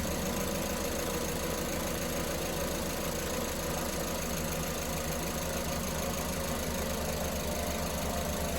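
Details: Car engine with the number 1 injector connector reconnected after a lean-cylinder ignition waveform test idles with a smooth, even low hum and no skips, misses or knock: normal idle.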